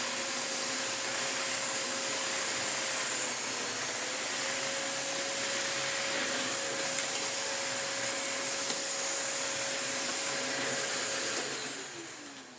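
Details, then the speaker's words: Restored Electrolux D820M (Lux 1 Royal) vacuum, test without hose or wand: steady mid-pitched hum over rushing air hiss, then smooth wind-down at switch-off; everything works, normal running. "Alright, that's excellent news. Everything works that needs to work."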